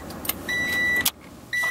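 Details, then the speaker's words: 1993 Honda Prelude that won't start when hot, key-on in cabin: short steady high whine for about half a second, twice; fuel pump priming normally, main relay suspected for the no-start. "listen to the fuel pump when you first turn it on you'll hear that fuel pump and if you can hear a fuel pump and you're still not starting still check that me main relay"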